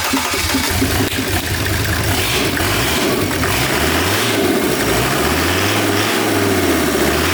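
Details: Volvo C304 camper with freshly rebuilt Mercedes OM605 turbo diesel swap, first start after rebuild: catches and settles into even clatter, revs rising and falling cleanly, no knocks or misses; sounds really nice, healthy.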